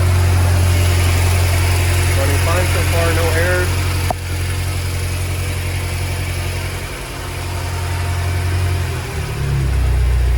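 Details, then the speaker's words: BMW F10 M5 just restarted after new plugs and coils, with loose coil connectors on misfiring cylinders 2, 3 and 4 reseated and codes cleared: smooth even idle pulse, no stumble or miss; normal idle. "Oh, thank the Lord."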